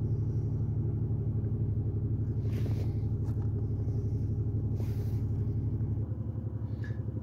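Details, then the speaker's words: 2008 Pontiac Grand Prix 3.8L V6 with 148k miles and check engine light: very rough, lumpy idle with an uneven chuff about four times a second. P0300 misfire on cylinders 5 and 2, which share a coil pack; no spark found from cylinder 5, coil pack suspected. "miles very rough idle I don't know if you can hear that got serious misfire so let's see what we got"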